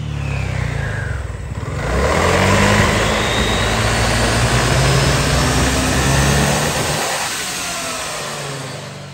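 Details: 2022 Honda SH350i with ~8,000 km, after CVT clutch rework, titanium exhaust header, opened muffler and air filter change: clean rise and fall of revs, smooth even drone, no rattle or rasp from belt drive. Smooth CVT rev.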